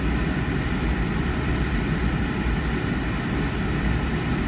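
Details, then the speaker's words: Thermo Pride Spirit Series 80% oil-fired furnace just after flame ignition, before the blower kicks in: a smooth, even low roar with no pulsing or rattles. The burner is firing steadily. "there we go flame started well delay valve activate for several seconds"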